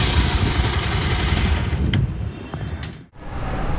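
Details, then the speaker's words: Pulsar 220 motorcycle after timing chain tensioner replacement for tik-tik noise; even, steady single-cylinder idle with no ticking or tapping; top end healthy and quiet. "आवाज सुनिए आप कोई आवाज नहीं ए रही कितनी कुछ आवाज नहीं ए रही भाई"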